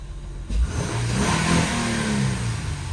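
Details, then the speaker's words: Acura TL with a replacement engine that another shop couldn't get running, after the computer was brought back online with a clean fault scan: catches in half a second, flares, then settles into a smooth, even idle with no knocks or misses. "look at that she is purring like a kitten all right that makes me very happy"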